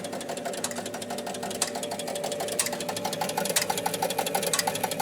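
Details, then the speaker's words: Williams Pat Hand electromechanical pinball machine: steady motor hum with constant ticking and clicking as the score motor turns continuously and the bonus unit does not reset. "Score motor's turning constantly. So that's our clues of what must be the problem."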